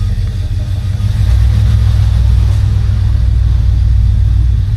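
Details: 1966 Oldsmobile 98 convertible, top down, cool morning (about 62°F): deep, even V8 rumble builds smoothly under light acceleration pulling away, no ticking or exhaust puffing; normal running engine.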